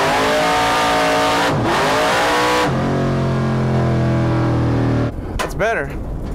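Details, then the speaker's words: Hemi V8 drag car screams up through first, then holds a flat high note after the shift instead of pulling down; clutch slipping at the top of first and into second, not at launch, so the run was aborted. "feels like it's slipping the clutch not so much when it leaves the starting line but at the top of first and uh into second so I aborted the Run"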